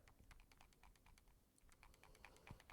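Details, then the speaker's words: Samsung Galaxy S26 / S26 Ultra shaken near the microphone gives a quick, light clicking rattle. This is the spring-mounted camera stabilization (OIS) moving freely, which is normal. "So what this sound is, it's simply your stabilization system of the cameras."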